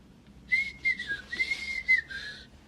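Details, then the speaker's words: Burning fireplace insert: high, wavering whistle in uneven puffs as air is drawn through an unsealed gap between the door glass and frame lacking a gasket cord, left by the maker for glass airwash. "свистить повітря в топці коли вона горить тому що воно проходить сквозь цю шпаринку між склом та рамою де нема шнура"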